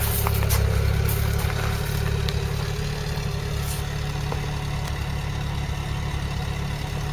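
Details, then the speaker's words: Old vehicle with the original, untouched carburettor, after the timing and points were set, the exhaust fixed, the oil changed and the cooling system flushed. A deep, steady exhaust burble at idle with an even pulse of about 3.5 beats a second and no knocks: a normal idle. "now listen to this it does sound a nice note well that's the original carburetor and nothing done to the cab i've done the timing and the points that's it"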